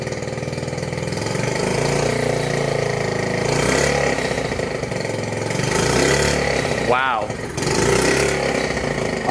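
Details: 1969 Honda Z50 Mini Trail barn find, not run in years, now warmed up. Small single throttle blips rise crisply and drop back cleanly to a steady putter; the engine revs freely and sounds healthy.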